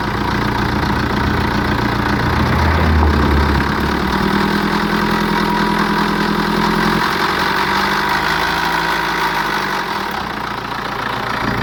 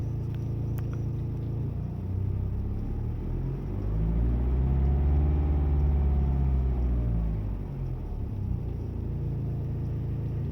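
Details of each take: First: BMW 5 Series N47 diesel idling with busy metallic rattle over the clatter, before replacing worn timing chain and guides; timing chain rattle. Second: BMW 5 Series N47 diesel idling smoothly and revved twice after replacing the timing chain and guides: no chain rattle, sounds healthy.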